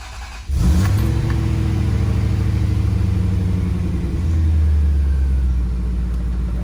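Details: 1990 Corvette ZR-1 with LT-5 engine, first start after starter replacement to fix a no-start: crank catches at once into a smooth, deep idle with a brief rev blip; starts and runs healthy.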